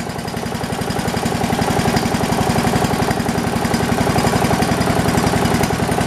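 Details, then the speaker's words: New Poulan Pro 300 EX lawn tractor, throttled down right after starting: steady, even low thumping about four pulses a second, no surging or hunting; healthy low idle. "just throttle it down as soon as it starts it idles really nice it doesn't surge"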